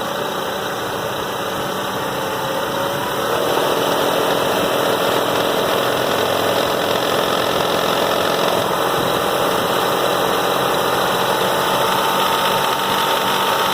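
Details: 1997 Toyota Avalon at idle: steady idle with a busy metallic rattling clatter about three to four beats per second, cause unknown.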